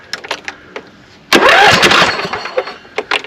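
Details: Craftsman 42in riding mower with 24 hp Briggs & Stratton V-twin: brief starter crank with a faint sputter that never catches despite good spark and battery; fuel cut-off solenoid on carburetor not heard clicking, later replaced.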